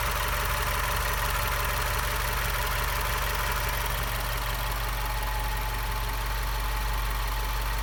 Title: WRX whining noise